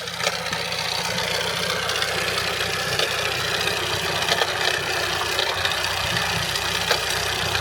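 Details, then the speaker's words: 2012 Mitsubishi Outlander 2.2L 4N14 diesel bought at auction, idling in neutral with the belt removed: a fast, uneven metallic rattle or knock over the normal clatter persists. Owner suspects the alternator; seized injectors and an oil leak are also present. Cause unconfirmed. "Okay, so with that off, let's fire it up and see how it sounds. Oh, that's still not good. Don't know if you can hear that, but it's still there."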